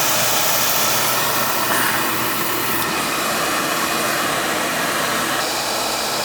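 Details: Utica TriFire oil boiler burner after service, fired with jumper: steady even roar with smooth hiss, no pulsing, rumble or sputter; firing cleanly and running right, same-size nozzle refitted.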